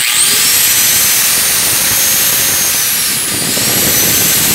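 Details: Angle grinder after repairing its no-start fault and reassembling the cover: even, high-pitched motor whine with a steady top tone and no dips or rattles, running smoothly and healthy.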